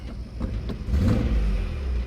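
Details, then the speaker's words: Small motor revving strongly after starting but a bit shaky, with an uneven stumbling miss under the exhaust note; tachometer not working, owner thinks it may need a tune-up; engine misfire, cause unconfirmed. "it's got a little bit of a Miss in there I can hear it but it runs pretty strong a little motor"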